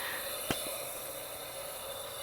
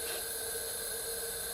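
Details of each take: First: Used engine during a leak-down test; a steady airy hiss with no engine running, air heard escaping the exhaust port because the exhaust cam is holding that valve slightly open. Engine must be rotated before testing. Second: Used junkyard engine out of the vehicle, leak-down style check with air into the cylinder: steady airy hiss out of the exhaust port, felt by finger, showing the exhaust valve opening and closing normally.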